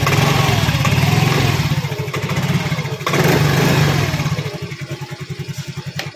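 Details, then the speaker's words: Yamaha Mio i 125 scooter after replacing starter motor carbon brushes; previously hard starting, cranking weak like a flat battery despite a new battery, now fires on the first try and settles into a steady even putter, normal start and idle. "Ayun, nakita nyo, saglit lang. Dati, parang lobat siya. Kahit bago yung battery niya, parang lobat yung ano niya pag-start niya."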